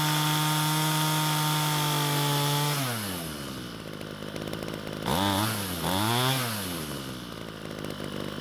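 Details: Ryobi string trimmer, small two-stroke, test run after fixing a no-start and cleaning debris from the fuel tank: screams steadily at high revs, drops cleanly, picks up crisply on two throttle blips; running normally, attachment noted loose.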